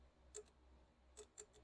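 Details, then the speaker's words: Briggs & Stratton 350777 1152-E1 engine, carburetor refitted: faint sharp clicks, about four in two seconds, as power is touched to the carb fuel shutoff solenoid, which opens and closes the needle blocking the main jet; working normally. "Can you guys hear it click? Should be able to hear it click. So that's opening and closing that needle or block off, whatever they're called."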